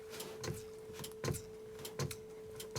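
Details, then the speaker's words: Mercedes/Dodge Sprinter horn inoperative: soft dry relay clicks with each horn-button press, with no horn sound. The switch, switch-to-relay wiring and relay energizing are confirmed good; the horn itself is next to be tested. "so this click here tells me that the horn relay is being energized so that basically means the switch is good the wiring from the switch down to the relay is good because i only hear this click when i press on the home switch"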